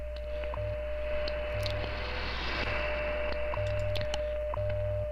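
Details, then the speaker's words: Alpha Delta DX-Ultra inverted-V dipole receiving on HF: raspy hiss under a constant thin tone with low buzzing bursts about every second; the interference disappears on the magnetic loop; source unknown, possibly a neighbor, a power line or a new cell tower. "now you can see down here you can you can hear that and you can really see the signature of it and again i don't know what this is it could be a neighbor working from home it could be that power line it could be a cell tower they just put up"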